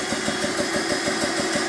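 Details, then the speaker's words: BSA PCP air compressor on first-ever run, gauge set to 200 bar auto cut-off, fans on: quick, steady pumping beat about six strokes a second with clean metallic clatter; running normally. "Not too bad, reasonably quiet. And then you set the start button going. That's it."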